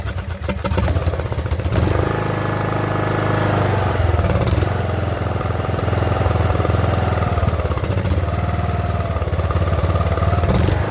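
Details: Craftsman LT2000 riding mower with small single-cylinder engine, sat about a year, after fixing surging and priming with gasoline: catches and settles into a steady, even putter with brief dips, idling slightly low before idle screw adjustment.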